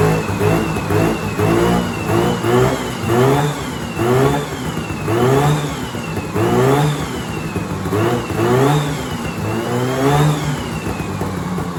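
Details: 1970s Sno-Pony snowmobile, 340 twin-cylinder two-stroke, first start after sitting 20–30 years with a rusty tank and hard fuel lines: crisp buzz rising and falling through repeated blips, settling smoothly each time; runs healthy.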